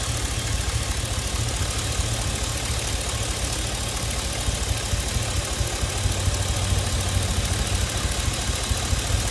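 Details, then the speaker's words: Chevy Express V8 at idle with fuel injector 1 deliberately unplugged, scanner showing a lot of misfires. Lumpy, uneven idle with a heavy irregular stumble about twice a second. Cylinder 1 dead. "My fuel injector number 1, and now you can see a lot of misfire."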